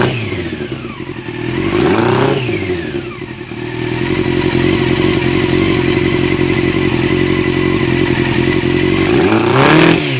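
Bike revving up and down with a rough, uneven stutter in the exhaust note instead of a clean pull, pointing to a misfire.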